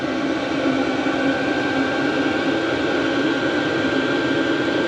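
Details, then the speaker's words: Chinese diesel heater mounted outside a workshop, warming up (surface about 66°, outlet air 22°), recirculating workshop air through 80mm pipe: steady unbroken burner and fan roar with constant hum, no surging or rattles; normal running. "So this is the reason that I wanted to mount the diesel heater outside. To have that noise in the workshop wouldn't have made it such a pleasant area to work in."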